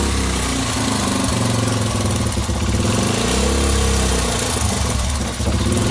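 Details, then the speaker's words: Honda XL 100S restoration project, single cylinder: steady idle with clean, quick throttle blips and smooth returns as the throttle is held and blipped. No smoke, sounds sweet; normal idle and throttle response. "And it sounds absolutely sweet. No smoke. Sounds absolutely sweet."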